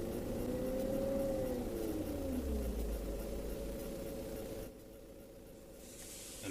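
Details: BMW E38 with AC on: steady whine rising and falling with engine rpm, gone when AC is off; compressor bearing fine; caused by lack of oil, fix is evacuating, adding 10 g oil and recharging to 700 g.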